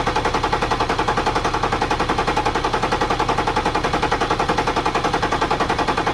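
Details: BMW X5 N57 3.0L diesel being checked for rising oil level from leaking injectors; reassembled and started without bleeding: even, fast rhythmic idle clatter, nearly three pulses a second, no stumbling; normal idle.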